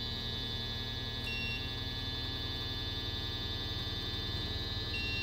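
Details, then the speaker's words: Midea U-shaped window air conditioner, partly disassembled, fan running: loud steady electrical hum at constant pitch; fan motor confirmed as noise source, needs replacing. "clearly so now I know so now I can definitely say okay this this motor is the noisy thing so that's what's got to go"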